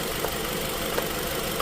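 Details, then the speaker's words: Nissan X-Trail, QR20 engine, P0302 code, coils lifted one by one at idle: lifting cylinder 2 coil gives no rpm change, idle holds steady; cylinder 2 dead, no ignition. "No change. So, you see how I mean doing a power balance test could also throw you off because I did it with the stand tool."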